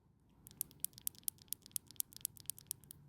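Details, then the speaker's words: Poulan leaf blower flooding on start; carburettor metering diaphragm flexed by hand gives dry crisp crackling, stiff and lost flexibility, blamed for excess fuel flow. "and as you can tell from that sound this diaphragm has lost most of its flexibility which it needs to be able to do its job"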